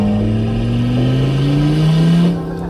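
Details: Audi RS3 with a big turbo and welded differential, boost pipe just found unconnected and now hooked up, smoking: a deep rev climbing smoothly with a rising turbo note under load, then easing off. Boost builds properly.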